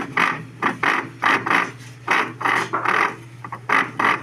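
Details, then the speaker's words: Electrolux washing machine: rough grinding bursts about twice a second over a low motor hum, gear under the cover slipping and failing to engage; owner suspects a worn gear; noise also occurred during spin. "provavelmente tá roçada ali a aquela parte que ela tem uma engrenagem ali para embaixo dessa capa aqui"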